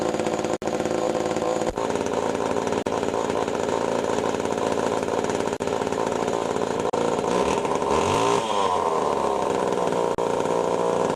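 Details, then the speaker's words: Pioneer 11-60 chainsaw after a long time in storage, with the ignition points readjusted and lightly sanded: the two-stroke runs with a high, steady buzz and even firing; it runs clean and healthy. "seems to run for good actually I'm impressed I'm surprised that after all these years in storage which is running good"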